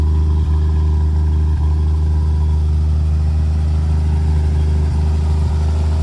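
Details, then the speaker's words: 1950 Chevrolet 4400 dump truck being revived after years of sitting, idling after cold start on choke: steady even low rumble, no knocks, misses or ticks; normal idle. "And start. Choke action. That's idling."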